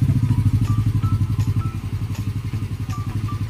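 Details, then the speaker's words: Yamaha Mio Sporty scooter after a top-end refresh (new piston, replacement for a sunken, leaking intake valve) that had hard morning starts and a high, hunting idle: soft, even, quiet idle with no valve clatter; still needs break-in; normal idle. "Tapos rangkada nga. So bibreakinin pa ng konti dahil bagong piston yan, pero okay na."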